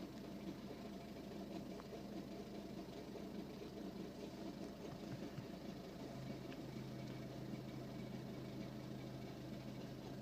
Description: My ford focus 61 reg 1.6 TDCI is making this crazy noise when I start it but only in the mornings after it has been sat for over 10 hours.